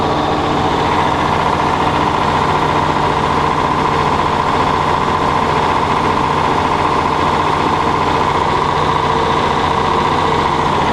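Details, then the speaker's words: John Deere combine, not yet started that day, new spring and pulley fitted after bad bearing: steady heavy drone with faint uneven slapping as the degraded, too-short belt bounces against the case floor; belt tightens and stops at speed. "The belt is quite degraded and it's too short. If it was up here, that would make that noise, but it's bouncing against the floor of the case there at the bottom."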